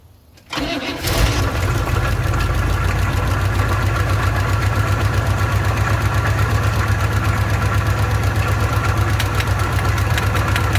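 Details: Old car with an old carburetor, bowl overfilled by hand: cranks, catches, then a rough, uneven, lumpy idle sounding starved for fuel; owner says the bowl isn't taking fuel and the fuel pump isn't pumping.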